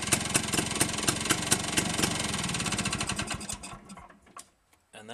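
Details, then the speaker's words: Rebuilt Villiers 9E 197cc single-cylinder two-stroke with four-speed transmission and reversible electric starter-generator, running in reverse rotation; even pops at about four per second, slightly slower than forward; owner suspects ignition timing slightly off. "is the engine running in the opposite direction or the reverse direction and the engine runs slightly slower in Reverse"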